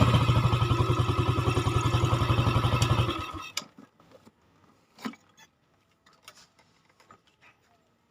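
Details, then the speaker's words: Yamaha Jupiter (Robot/Salib) after a rebuild with a Mio connecting rod and piston: firm, regular single-cylinder thump, then shut off. Standard compression gives a fuller idle than the very bad sound before. "Gimana Lur suaranya sama yang sebelum kalau yang sebelum sangat parah ya kalau yang sebelum [Musik] diganti ini sekarang sudahah suara nya standar atau pastinya lebih padat ya kalau sebelumnya rada ngempos ini lebih padet suaranya karena kompresinya standar"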